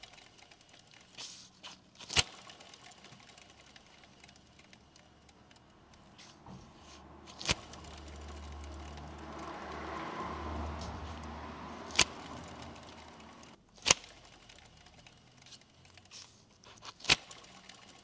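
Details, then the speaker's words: Mercedes-Benz W124 E220 M111 alternator turned slowly by hand with belt removed gives a dry, gritty rumble with clicks: worn alternator bearing, not heard while running; alternator sent for rebuild. "Bien que je n'aie entendu aucun bruit lorsque le véhicule tournait, j'ai remarqué ce bruit de"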